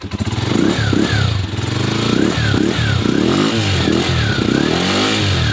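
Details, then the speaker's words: Skygo motorcycle with primary-type ignition wiring: revs rise then repeatedly break up under throttle, from water entering the wiring and weak spark; being converted to a battery-operated CDI. "pero nagpuputol-putol yung piga niya. Ito na yon. So pinasok lang po ng tubig dito pero nakita niyo naman yung kuryente niya mahina yan yon."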